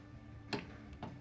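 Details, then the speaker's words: 2012 Subaru Forester passenger front power window, motor powered directly with jumper leads: two sharp clicks with no motor run, window not moving; fault in the motor or window regulator, believed to be one integrated unit. "no i can hear it clicking but it's not doing anything so there's something going on with this motor or this window regulator"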